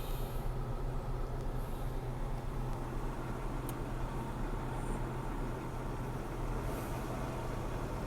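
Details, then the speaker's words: 2012 Hyundai Sonata auction rebuild, started on a jump box: smooth, even low idle rumble with no knocks, ticks or squeals; normal idle. "Doesn't sound bad."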